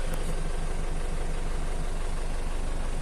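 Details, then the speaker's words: Used Isuzu Elf microbus diesel idling during a pre-purchase check: steady, even, quiet low rumble with no vibration, misses or knocks; black smoke seen afterward; normal idle. "masih senyap ya masih halus dan suaranya bisa kalian dengerin Hai dan tidak terlalu berisik"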